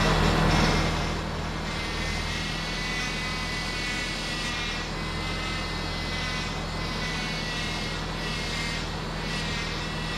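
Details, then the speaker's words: Second-gen Subaru Outback 2.5L 4-cylinder boxer started after a power steering pump replacement, with no leaks: a smooth, even engine hum and steady low rumble, with no pump whine or groan. Running normally. "all right let's fire it up and see if uh our steering fluid goes everywhere but let's hope not nice no leaks"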